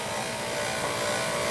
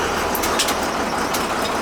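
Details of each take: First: Oil burner boiler running with a steady thin whine over the burner roar, called pump whine; the circulator was installed upside down, and motor bearings may squeal if not oiled. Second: Boiler after circulator pump turned right way up and new burner motor fitted to cure whining; steady, even burner roar stepping up slightly, no whine or rattle, now quiet.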